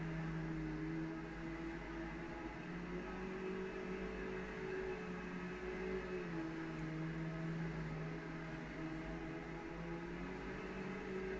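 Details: Brand-new Bissell Powerglide Platinum vacuum running: a steady, even motor hum with a constant low drone and no rattles, surges or scraping; it runs perfectly.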